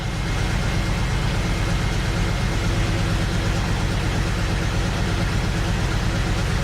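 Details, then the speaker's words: BMW X5 first start after over a month, following disconnection of fuel lines and intake manifold removal (fuel trims disturbed): runs a little rough, shaking, uneven loping idle; no smoke or check engine light, later smooths out with slight lifter ticking. "well that's normal running a little rough shaking a bit not doing great but running moving out a little bit"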